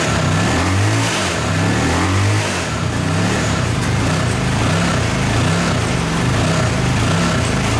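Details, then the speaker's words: Suzuki VX800 V-twin in a go-kart buggy, sat long and was hydrolocked, cleared with the plugs out; now rumbles and surges on throttle blips, firing steadily without misses or knocking; runs fine despite the carburetor leaking gasoline. "oh it runs oh that's warm and that's leaking gasoline awesome"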